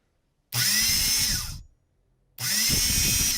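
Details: 1960s General Electric TH-30 drill, USA-made, quick check during teardown reassembly: two short bursts of steady high motor whine spinning up and coasting down cleanly, no grinding or rattle; normal running.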